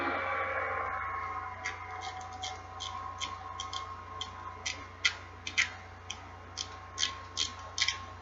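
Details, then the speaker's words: Quantum Smoke baitcasting reel after a Boca bearing install (5x11x4, 3x10x4, 3x8x4): crisp light clicks, two or three per second, as the cleaned tension knob is twisted back on, showing the clicker is seated; normal tension knob clicker. "and you should hear it clicking well that's how you know you have the clicker on there right"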